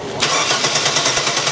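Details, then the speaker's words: 1997 Chevy Blazer 4.3 L Vortec CPI, good spark, fires on propane, cranking on charger jump-start mode: rhythmic cranking nearly catches but never runs; crank no-start from fuel pressure below 50 psi needed by CPI poppet injectors. "That was pretty close again. All right. Still not enough, but still it's something to consider if you guys get these vehicles in with with low fuel pressure on these CPI systems"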